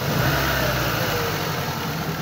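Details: 2007 Ford Focus that intermittently lost power: uneven, lumpy low throb at idle with engine vibration, one dead cylinder traced to a loose, fragile fuel injector connector.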